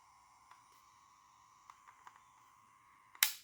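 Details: Game Boy DMG with vertical screen lines and faulty battery terminals, running on its power supply (6 V measured): quiet, steady high-pitched buzz with faint clicks, electrical noise of unknown cause.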